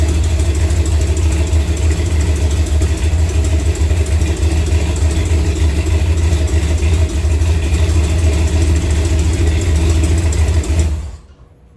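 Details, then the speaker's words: Chevy C10 V8 with newly fitted Spintech exhaust, idling: a deep, lumpy idle with a light tick on top, from an exhaust leak where a flange bolt is missing. "That's why you hear the little tick, tick, tick, tick, tick. Got an exhaust leak because I ain't got a bolt."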